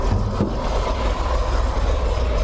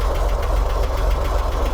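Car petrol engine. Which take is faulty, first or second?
first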